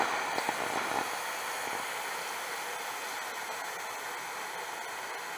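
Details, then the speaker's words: Instant Pot Rio Wide Plus (2023) quick pressure release via the top slider: strong, even hiss of steam rushing out that slowly settles, with no sputter or spitting; normal venting. "so now we get to release the pressure there's this slider up here but before you release the pressure you want to make sure that the steam is not going to go right at you"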